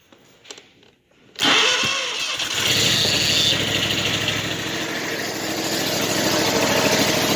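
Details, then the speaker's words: Machine with fuel pump recall done: cranks briefly, catches cleanly and settles into a steady, even run with no knocks or misses; runs pretty good though the engine light is still on. "Runs pretty good. Engine light's on still on this one too. But it's good enough for me."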